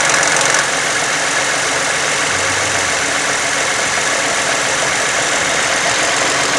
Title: Funny engine noise 2009 toyota sienna